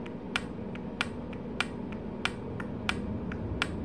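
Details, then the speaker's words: Chevy Cruze transmission shift solenoid, P0700 diagnosis, bench-tested with a 12 V battery, no click from a smaller battery; crisp sharp clicks roughly every second, one per power application, over quiet hiss; solenoid actuating normally. "okay that's what it's supposed to sound like when it's working so you hear anything with me shaking it right just one of the regular solenoids"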